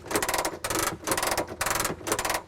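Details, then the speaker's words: Messerschmitt Bf-108 under restoration, manual landing gear crank retracting the gear: rapid ratchet clicking in bursts about every half second; gear system working normally, slow but fine. "So you hear that clicking sound, and that is just the gear system working, and the gear just comes up. It just takes a little bit of time to do this, but it works really well."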